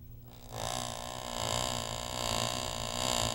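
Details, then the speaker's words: U-joint driveline demo, yokes back in phase (parallel): card flicking the first shaft's sprocket gives a steady even buzz with no rise and fall in pitch; first shaft turns at constant speed, second varies, third constant when U-joints phased at proper angles. "listen to the speeds of each shaft again the first Shaft is rotating at a constant speed"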